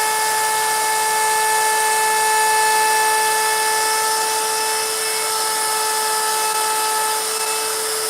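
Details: Router carving a sign with a 90-degree bit: steady high-pitched motor whine with even cutting hiss, no bogging or chatter; cuts cleanly and faster than the profile bit.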